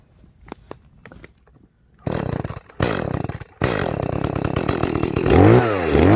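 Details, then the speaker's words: Echo CS-310 chainsaw after high-speed jet leaned about 1/8 turn: bursts to high buzzing rev under cut but blubbery and soft, not crisp; still really rich, to be leaned a bit more. "Still sounding really rich. I'm going to go ahead and lean it out just a little bit more."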